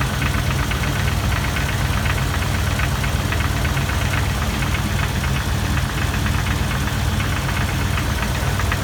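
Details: 2002 Jeep Wrangler TJ idling, heard from underneath: loose metal-on-metal tapping about four a second near the flex plate or oil pan, appearing after a minute or revving; retightened torque-converter bolts didn't fix it. Cause unconfirmed.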